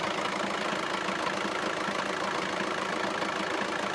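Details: Audi idling with a faint rattling tick, roughly three per second; owner suspects the dual mass flywheel/clutch and is considering a solid flywheel conversion kit, not confirmed.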